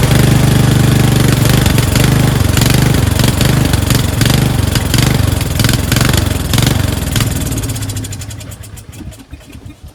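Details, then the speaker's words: Craftsman 13.5HP 30-inch rear-engine riding mower, cover off after carb cleaning: strong steady single-cylinder thump, then beat slows and goes ragged before dying; fuel starvation from a collapsed fuel line emptying the float bowl after about 5 seconds. "It wasn't getting enough gas. It was starving for fuel. That's why it runs well for the first 5 seconds or so. Then when it depletes the fuel out of the bowl, it sputters out and dies because it wasn't getting any f"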